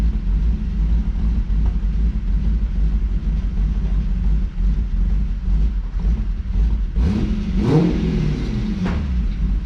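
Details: 1992 Lexus SC400 with stock 1UZ-FE V8, 117,900 miles and stock exhaust: a lumpy, loping idle and one quick rev, caused by a vacuum leak rather than a cam.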